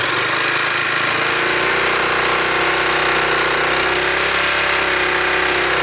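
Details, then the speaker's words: 2005 Yamaha Majesty YP400T scooter after CVT inspection and secondary sheave cleaning, revved while holding the rear brake. Pitch climbs smoothly with no slipping or clatter; the clutch engages near 4,000 rpm, as it should. "Right at near 4,000, which is what it should be."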